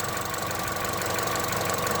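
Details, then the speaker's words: Vauxhall diesel, 96,000 miles, low battery, idling: steady idle with familiar injector clatter, no chain rattle at start; extra rattle is a loose engine cover; loose engine cover rattle. "It's got a very familiar cracking of the injectors on these uh voxels. That other noise is just the covers loose."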